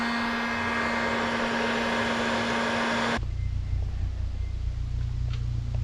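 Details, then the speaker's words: Project Nissan 300ZX with KA24DE swap driving over a small bump: even engine drone and road rumble, no clunk or thud where it used to clunk badly; suspension now silent. "I didn't hear it clunky when you went over that little bump there yeah no it's it's silent sick yeah before it was like mad clunking"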